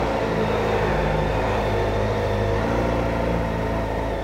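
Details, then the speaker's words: 2025 Kawasaki Ninja ZX-4RR at about 1,000 km, riding two-up after its first oil change and chain adjustment. Steady engine drone and even pull with no chain clatter, where before adjustment the chain clunked when shifting and releasing the clutch. "Nung na-adjust na, wala nang kalampag. So nung kasi hindi pa na-adjust kanina, maingay talaga yung kadena, kumakalampag-kalampag."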